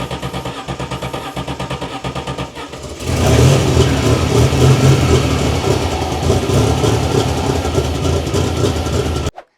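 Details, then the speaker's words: Turbocharged DeLorean first start on Easy Start spray: uneven cranking, then it catches and revs roughly for several seconds before cutting out. It runs only on starting fluid, proving the engine isn't seized; fuel supply is suspected. "So the breakthrough came when we decided to use some Easy Start. We thought, look, let's just see if this even fires up. And as you can see in this bit, we actually got it running."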